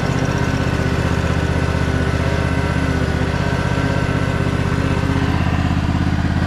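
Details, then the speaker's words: Craftsman DLT3000 lawn tractor with a factory Honda 16.5 hp engine, given away as a non-starter, started on choke: small single-cylinder putter at an even idle, smooth and quiet with no misses; it may still need a carburetor clean. "that is incredible it's running really smooth too it's super quiet"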